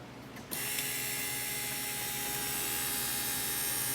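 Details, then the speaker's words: 2002 Volvo XC70 after replacing brake vacuum pump and pump switch and new 15 A fuse, ignition on: steady high electric buzz as pump builds vacuum, normal operation. "And you should hear this pump buzzing for a few seconds until vacuum is in the lines. And then every time you hit the brake pedal, you should hear the pump come back on again momentarily."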